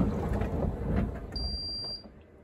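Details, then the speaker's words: Repaired 7 kg Candy heat pump tumble dryer stuck at 2 minutes remaining while still pumping water. A single high-pitched half-second beep repeats periodically over rustling, as the water-level light flashes although the tank does not seem full. "beeps I'm going to do the reverse action more beeps still on two minutes oh this water level thing is flashing"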